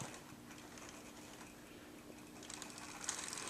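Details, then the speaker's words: Tenshodo brass USRA 0-8-0 model steam locomotive crawling at slow speed: fast light whirring tick over steady hum, gear noise from the drive that persists; gear noise. "u'll understand why it makes a really loud noise that sounds like gears grinding and I think they just said oh it'll work itself out but it kind of did it does it still makes a noise"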